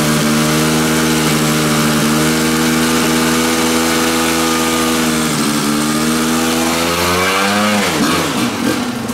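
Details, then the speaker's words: Kawasaki two-stroke dirt bike, warmed up, on the Chinese knockoff carburetor during a load test: high-revving drone in gear, climbing slowly before backing off; feels starved, owner thinks it's running a little too lean. "That took a lot longer. I almost think it's running a little bit too lean."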